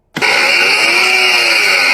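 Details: Car engine with a steady, even high-pitched whine sitting over the engine note; noisy alternator.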